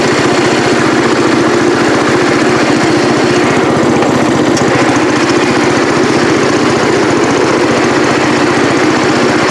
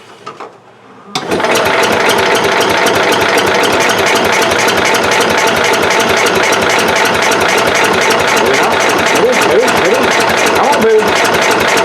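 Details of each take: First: Cub Cadet 108 single-cylinder: steady idle, firing evenly with no misses; normal running, though the carburetor float sticks and needs a rebuild. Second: Cub Cadet 108 garden tractor after sitting, fuel turned on, fresh battery: starter cranks steadily about four times a second but never catches; fuel present, spark very weak; cranks but no start, weak spark.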